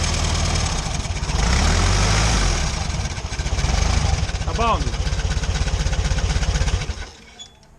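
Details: VW Beetle air-cooled engine running lumpy with a rough scraping rush and brief chirp, then shut off; alternator bearings badly worn, to be replaced; noise traced to pulley shield rubbing on engine tin.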